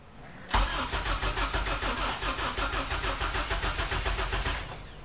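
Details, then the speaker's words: Honda EK hatchback with K24 swap, long-sitting car, first start attempt after cranking without coils to circulate oil: starter cranks steadily at about 3.5 pulses per second but never catches; no fuel, possibly a missing jumper. "all right let's try again again oh one more try there's no fuel"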